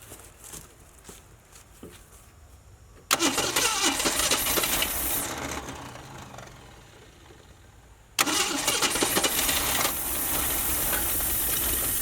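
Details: Ford Maverick not run in 26 years, first idle with no working fan or radiator, PB Blaster smoking off manifold: catches, sags, stalls, restarts into uneven lumpy ragged idle.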